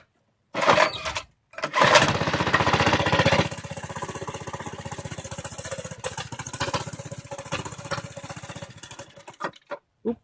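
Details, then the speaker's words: Motovox minibike rebuild with a DB30 throttle cable, started on a cold, snowy day with the choke on. It catches after a couple of pulls, then chuffs unevenly, fades and dies: a cold small engine stumbling and wanting more choke. "let's keep the choke on. Oop, sorry. Raw video, right? Oop. Anyway, it's cold out."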